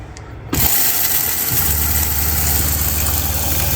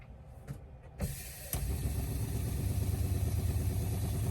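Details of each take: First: RV fresh-water pump under the bottom bunk next to the water heater: it kicks on into a loud, low droning hum with a steady pulse, vibrating the whole RV. Replaced with a new low-noise pump. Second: Newly installed ultra-quiet RV water pump, replacing the failed old pump, running after rewiring with no leaks: steady low hum with a soft, even pulse and very little noise, no rattle or grinding; normal pump running.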